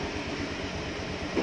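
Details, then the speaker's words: Honda Vario Techno 125 scooter, cold with radiator coolant at 35°C (not yet optimal), idling at zero throttle during ECU diagnostics: slow, lumpy, uneven low chug at only a few beats per second. Idle RPM far too low and needs adjusting. "Nah, jadi ini RPM-nya terlalu rendah sekali ini. Nah, ini harus disetting ini. Ini kurang pas. Kalau RPM rendah cenderung seperti ini."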